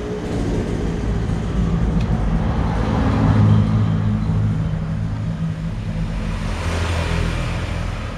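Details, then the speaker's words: Samsung two-door inverter fridge using R600a during a refrigerant recharge, low-side gauge about 5 psi: inverter compressor speeds up, hum growing fuller and louder as amperage rises to pull the temperature down; normal ramp-up. "oke sekarang terdengar suara kompresor putarannya sudah mulai kencang dengan ampere ditandai akhirnya naik Hai untuk mengejar suhu karena ini kompresor inverter"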